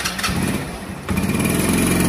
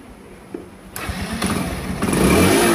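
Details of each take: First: Dayang motorcycle, possibly soaked in rain: after starting it sputters and stumbles, won't take load, nearly dies then revs raggedly; the CDI was very hot with water inside, and replacing it fixed it; misfiring and stalling from a faulty CDI. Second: Motorcycle that wouldn't take load, sputtered and stalled, overheated CDI likely water-damaged from rain: after CDI replacement engine catches after a couple of cranks and settles into steady even beat, revving smoothly.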